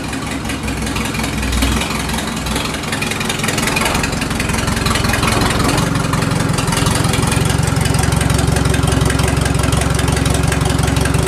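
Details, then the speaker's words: 1983 Mercedes-Benz 240D diesel, stored in a barn for years, cold start: harsh rapid clatter of about 220 beats a minute, far louder than normal because no exhaust is fitted. "now as you can hear the car was actually uh very loud much louder even than a 240D usually is the reason for that is there's actually no exhaust on the car that's how I got it"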